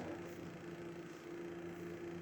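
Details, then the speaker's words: 10-inch Cool Breeze box fan on low speed: a steady hum with a faint thin whirring throughout. Possibly rough bearing noise, or plastic flashing rubbing; not confirmed. "That kind of sounds like a bit like bearing noise or something. Whatever it is, I don't like it."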